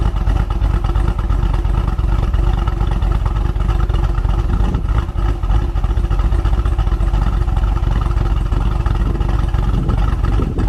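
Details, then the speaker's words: 2017 Chevy SS LS V8 with about 7,000 miles, first start after a cam swap: lumpy, choppy loping idle with no knocks; a slight belt squeak noted, otherwise sounds healthy. "there we go [Music] Gina Courtney girls like a little bit of water on the belts that squeak would go away there ever sounds good"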